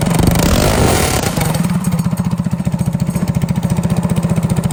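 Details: Go-kart single-cylinder engine, freshly remounted and started with its crank-up starter: a rough first burst, then a steady, even exhaust beat with no knocks or misses, running healthy and sounding pretty darn good.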